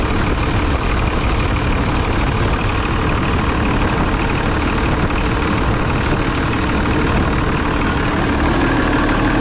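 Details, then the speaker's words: New Holland tractor diesel idling with a steady heavy drone and an odd buzzing vibration of unclear source; owner suspects the fan clutch or a pulley, not confirmed. "last night when he was finishing up uh the track was idling there it started making a vibrate some odd vibrating noise"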